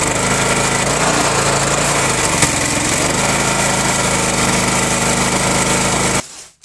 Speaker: it's a 3500 psi 4 gallons per minute and what amazes me about it is it always cranks up on the first pole for 15 years it hasn't changed cranks right up on the first pole and just function properly like it's supposed to all the time